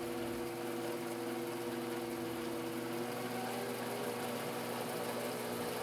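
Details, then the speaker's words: Grizzly G0765 7x14 mini lathe in low gear after a new motor pulley and belt: smooth, even motor hum with no knocking or grinding, running healthy; slight vibration from an unbalanced four-jaw chuck. "there's a very very small amount of vibration I'm getting in that is entirely due to the four jaw Chuck I didn't have all the Jaws lined up so it's a little bit off balance hence vibration"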